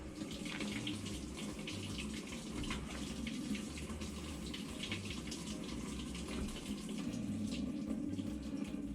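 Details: Kenmore top-load washer, model 11020372710 (Whirlpool-built), in diagnostic mode, step 5 toggling the fabric softener valve: a steady rush of water as it fills normally. The complaint is no draining with an F9E1 long-drain code, traced to a faulty drain pump.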